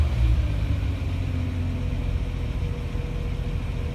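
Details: Fire truck converted to 12 volts, after cleaning the charging system: low, steady idle rumble with an even beat and no knocks, misses or squeals, with voltage rising to 13.5 V at idle; healthy idle, alternator now charging.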